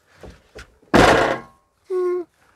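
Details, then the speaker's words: Mobil-Safe door safe on a camper van's passenger door (X290): two light knocks, then a heavy door thunk with a loose clattery tail as the safe lid has play because too few rubber buffers were supplied, before adding extra buffers. "wir haben einfach das Problem, dass das hier die Tür, also der Deckel sozusagen, so ein bisschen Spiel hat."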